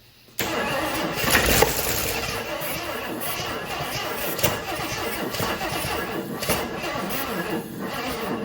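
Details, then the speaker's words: 1980 Jeep Wagoneer, engine locked up days earlier and battery dead, cranked with starting fluid sprayed: starter cranks then engine catches in rough uneven bursts and stumbles briefly, no steady idle; fires only on spray. "I mean, it fired, which is, more than it was doing."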